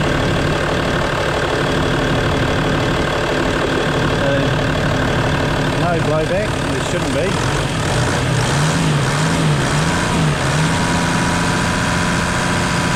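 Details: Steady, smooth low idle with an even beat and no misses or knocks from a 1992 Toyota Land Cruiser 80 Series just started, with the AC compressor (seized bearing) not hooked up; healthy normal idle.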